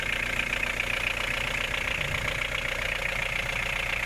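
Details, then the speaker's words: VW 1.9 TD diesel idling after a timing belt, water pump, pulley and fuel filter change, covers off: even clatter at about four beats a second with no misfires or belt noise; healthy. "but before I put the covers on, I want to start the engine and see how it sounds like, how it runs."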